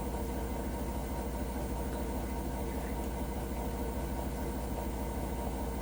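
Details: Hotpoint NSWR: a deep, steady rumble with a faint rhythmic throb at about two pulses a second while the machine runs. Rumbling noise, cause unclear.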